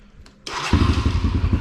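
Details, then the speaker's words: Kawasaki KLX140 rebuilt after falling off a trailer, with the carb cleaned and the valves checked: it fires quickly and settles into a crisp, even thumping run with light blips. It sounds healthy. "but other than that she fires up turn it on real quick here"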